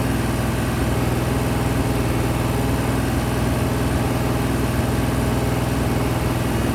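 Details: Freshly rebuilt 426 Hemi crate V8 (new heads, intake, pistons) on a run stand during flat-tappet cam break-in at 2400–2500 rpm, 32 degrees timing, 150°: steady, even fast idle with a smooth, unbroken beat, no ticking or clatter; healthy.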